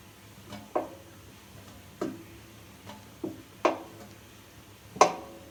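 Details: Samsung washing machine drum: single dull knocks at uneven gaps, roughly once a second; knock appeared a year ago after drum spider replacement and has worsened slightly; owner suspects bearings, unconfirmed.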